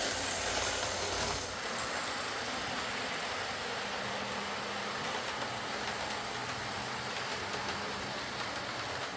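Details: Old Lima Class 40 model locomotive in BR green, after repair with a completely replaced motorised chassis (original front bogie faulty, wouldn't run): soft even running hiss, no knocks, stutters or surging as it pulls away slowly; quiet, normal running.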